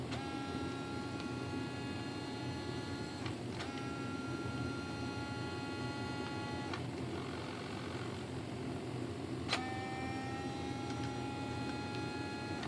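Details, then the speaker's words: Arcus M RC model retractable motor system, which never retracted after the maiden flight. A thin electric whine stops and restarts every few seconds, sagging in pitch as the motor strains and seems to catch on something. Retract motor binding. "it's trying to start the motor like it's getting caught on something"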